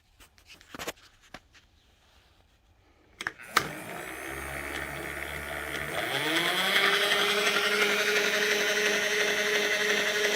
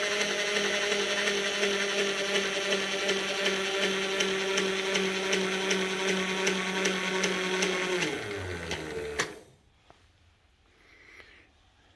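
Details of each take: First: 1989 Bridgeport mill, Servo 150 table power feed run out along a worn, sloppy lead screw: motor spins up over a couple of seconds, then holds a steady, even whine without knocks or grinding, loading slightly along the screw; normal running. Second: Bridgeport mill, servo 150 power feed running the table all the way out: steady motor hum with ticking drive, pitch sags near end of travel as the motor labours under load at a worn screw with slop.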